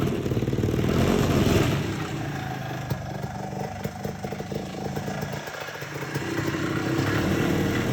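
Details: 1969 (owner believes) Tradewinds Tiger vintage snowmobile, small two-stroke: steady fast popping beat with slight surges but even firing; runs and sounds good, though a little carb tuning still needed.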